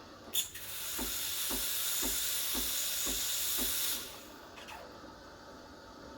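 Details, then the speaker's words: Breville BES870 espresso machine steam wand frothing milk just below the surface: smooth steady hiss with soft regular pump ticks at half-second intervals; normal operation. "just below the surface you want to hear the hissing sound you want to do this hissing gun for about 20 to 20 seconds"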